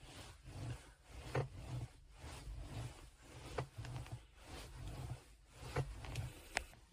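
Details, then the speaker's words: Geely Panda Mini EV driver's seat: irregular dry creaks and ticks every couple of seconds when leaning back, new since a 4S-shop mechanic pressed his elbow on it buckling the seatbelt; owner suspects mounting bolts or seat frame, unconfirmed. "感觉这个声音像从这个地方出来的啊，就是肘子被他们顶了一下就有这个声音了。"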